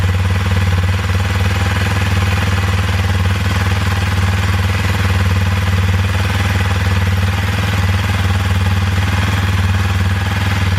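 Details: 2021 Kawasaki KLX230 dual sport with replacement battery, idling while charging voltage checked (12.5 V then 14.2 V running, stator good): steady even single-cylinder thump, no knocks or rattles; normal idle.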